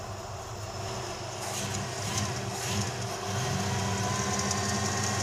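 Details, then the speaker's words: Plymouth Duster V8 hot rod, hot, idle set too fast, on a long road trip: thin steady whirring whine over the exhaust from the idler pulley, bearing judged junk; idler pulley bearing noise. "a new noise what is that there's a new noise and is The Idler oh that bearings junk yeah uh we better look at that cuz that's going to come off and be a disaster"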